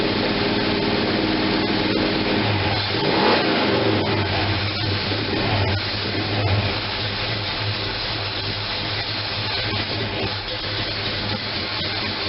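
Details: First run after gas tank install: engine runs uneven and lumpy, hunting rather than settling, because the manual choke was left fully closed; once opened it idles at 700.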